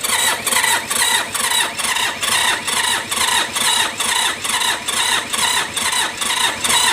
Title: WHY HARD STARTING K3E MITSUBISHI ENGINE MT18 TRACTOR CHANGE 3 PISTON AND RINGS